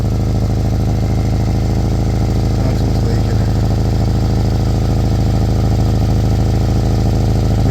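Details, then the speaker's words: Old Kia Soul at idle after backyard exhaust pipe repair: steady idle with rhythmic puffing tick in step with firing, a small remaining exhaust leak at a bracket; "a little bit noisy, but not where it counts". "She's a little bit noisy, but not where it counts."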